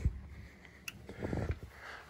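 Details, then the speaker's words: Single sharp click of the zone thermostat relay pulling in as the basement zone calls on an oil-fired boiler with zone valves, after replacing the thermostat wire; boiler stays off because it is at temperature; normal operation. "that click that's that thermostat relay here we go beautiful our boiler is not on because it's at temperature"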